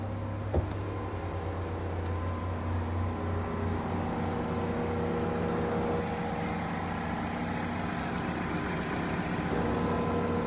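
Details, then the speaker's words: Chevrolet Equinox first started after timing repair; timing was far out, causing limp mode, and it sat a couple of months. A steady even idle with no knocks, misses or surging; the check engine light is still on as expected. "Okay. So far, so good. Check engine light's on, but that's expected, because it was on before because it was in limp home mode."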